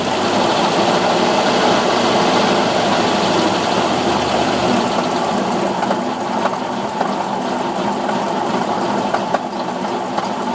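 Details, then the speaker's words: Cold engine that won't idle cold, held just above idle with throttle help, knocks heavily, rough tapping three or four a second; still knocks at 1600 rpm, oil temp not yet risen. "To help the throttle or it won't stay running. Cold engine. Bad knocking, bad knocking."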